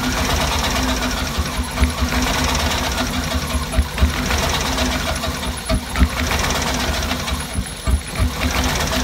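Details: Cadillac Escalade idling: rough, uneven idle with irregular thumps and stumbles every couple of seconds; engine missing on a cylinder.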